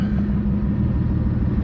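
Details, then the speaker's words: 1993 Nissan 240SX with RB25DET swap, just started cold: lumpy uneven idle, steady low rumble with irregular stumbles, misfiring; idle speed where it should be; owner suspects a vacuum leak, unconfirmed. Rough idle. "And like I was saying before, the car is kind of idling like shit."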